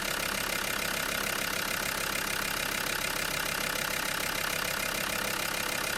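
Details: Land Rover Discovery 2 TD5 diesel, first start after replacing the fuel injector wiring harness, engine covers off: even idle with a steady, regular light clatter and no odd knocks or misses. Engine runs as it should.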